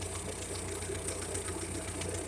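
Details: 1956 Ferguson TO-35 tractor after replacing the fuel-dumping carburetor with a cheap one and making a new governor linkage; steady even low idle with light mechanical patter, no misses or surging, running well; known exhaust manifold leak.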